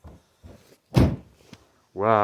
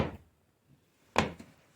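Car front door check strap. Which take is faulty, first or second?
second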